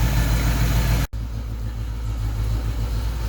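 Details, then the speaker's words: 1991 Mustang GT V8 after injector rebuild: lumpy, uneven idle with an irregular stumble and weak beat; one cylinder not making power, vacuum gauge flutters; misfire from low cylinder compression. "that cylinder is still not making power that one's not great"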